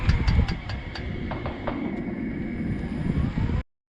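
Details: Toyota Prius Gen 4 slowing down; sharp regular ticks around four a second that space out with falling wheel speed, seemingly from the front driver's side wheel/axle; clicking, cause unknown.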